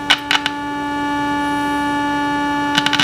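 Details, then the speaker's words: Superhet radio under troubleshooting, IF signal with tone from a signal generator coupled to the antenna by RF; tone stays steady while tuning across the band, with knob clicks, showing IF and audio stages work. Normal audio output with injected tone. "So we're gonna tune the radio now. That's one in right there, and we're gonna go around here, and you can hear the tone stays pretty constant."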